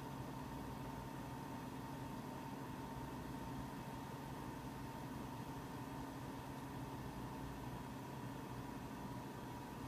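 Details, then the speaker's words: Mac Pro 1,1/2,1 with 48GB using 8GB DIMMs, benchmark running: constant airy rush with faint hum, fans about double usual speed and climbing though temperatures a few degrees cooler; SMC/EFI mishandles the unsupported RAM, causing fan overspeed. "the fans are starting to ramp up some they're going about double the speed they're usually going we're ramping up more they're still rampant"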